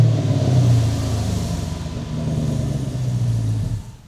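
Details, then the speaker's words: 2006 Dodge Charger Daytona V8, 250K miles, straight pipes replaced with SS-truck mufflers: deep even rumble climbing smoothly on the rev and settling back cleanly, quiet but refined; normal V8 start and rev. "doesn't that sound so much more amazing it sounds quiet but refined it sounds powerful and refined that's kind of what i'm going for there"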